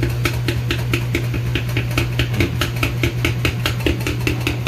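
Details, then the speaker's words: Kenmore/Whirlpool washer from about 2009, spin only, back panel open: sharp slapping knocks two or three times a second over motor hum. The cause is the flap valve on the back, not the drive block or brake; felt added to dampen it. "this is actually where the noise is coming from that i've been worried about i thought it was something inside the machine thankfully it seems to be just this thing over here that's good news"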